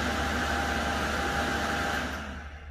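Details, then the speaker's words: Astral CTX 400 pool pump, 12 years old, after replacing seals and seized front motor bearing from water ingress, bench test before plumbing: smooth quiet motor hum, steady drone, no grinding or rattle, winding down; runs fine. "excellent and it's running quite as a mouse too all working perfectly"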